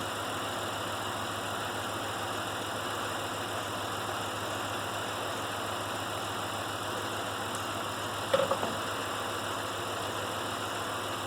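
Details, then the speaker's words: Pontiac Grand Prix V6 at idle: dull uneven shake, still missing after swapping the ignition coil with no spark on that coil. Two cylinders dead, attributed to a failed ignition module rather than the coil. "so feels like it's still missing see if it's sparking on that nope so i'm going to try a different coil just for grins and giggles it's so easy to change so we're still shaking oil's still dead"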